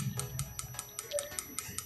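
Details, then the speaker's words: Jio F220b phone with no proper sound, owner notes water damage can short the sound IC or components: sharp tick about five times a second from the speaker whatever ringtone is chosen instead of the ringtone; cause unconfirmed, before cleaning and repair. "Sound आ रहा है, देखिए टिक टिक टिक टिक करके साउंड आ रहा है, कोई भी ringtone change करने से टिक टिक टिक टिक करके साउंड आ रहा है।"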